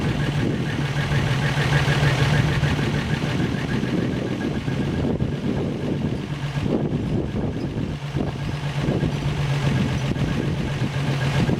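Steady, even idle with a constant low hum and no knocks or ticks standing out: the rebuilt engine is running smoothly.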